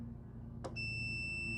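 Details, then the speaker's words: Riding lawn tractor starter solenoid bench-tested with multimeter on continuity: sharp click then steady meter beep, so solenoid is good. "and you can hear beeps. But sometimes when you hear this and nothing. So this one right here, it means this solenoid is a good solenoid."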